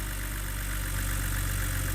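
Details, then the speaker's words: BMW E89 Z4 3.0 N52 straight-six at 40,000 miles, started right after replacing a stuck timing chain tensioner: even, settled idle with light injector ticking and no timing chain rattle; healthy. "oh that sounds lovely that does lovely ticking of the old taets in the injectors very very nice"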